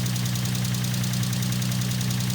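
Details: Infiniti G35 with VQ35DE V6 at idle: fast, light ticking riding over the low hum; suspected lifter tick.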